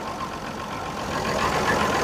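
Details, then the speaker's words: Perkins 6-cylinder diesel in a homemade early-70s RV on a 1966 GMC bus chassis, cold start; no glow plugs. It idles a bit rough and uneven, which is considered normal when cold; slight smoke follows. "oh she's going a little rough but I think that's pretty normal for these engines no glow plugs no intake"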